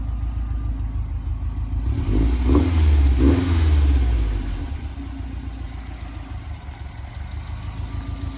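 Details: 2008 Subaru STI after spun-bearing engine rebuild and new turbo: deep, even idle with a quick rev and smooth settle back, no knocking or ticking; engine sounds healthy.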